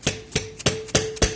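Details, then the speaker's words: 1971 Ford 302 V8, passenger-side cylinder head: valves struck with a hammer, five sharp taps each followed by a clean ringing snap; valves, including one previously sticking and freed up, now spring back freely. "one sounds good that one works okay that sounds good that one we that one was one that was kind of stuck a little bit but we kind of freed it up so now it works okay"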